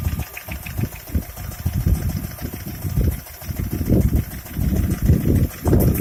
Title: стук двигателя шкода а5 1.6 mpi